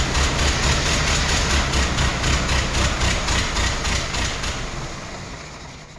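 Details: 1914 Ford Model T, hard to start at a car show, suspected running on three. Uneven, lumpy skipping beat of about four pulses a second; ignition and compression being investigated.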